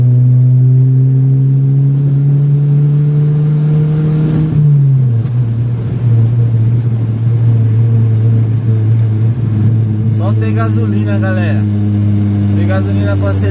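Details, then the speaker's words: Chevrolet Vectra after fixing a misfire problem, driving uphill at night under hard throttle: engine pulls cleanly through a rev and gearchange with a steady deep drone, no stumbles or misses; normal acceleration. "peguei uma subida pisei nada de falhar é o borra da hora né da hora aí aqui ó fazendo um teste para ver como ficou o bom"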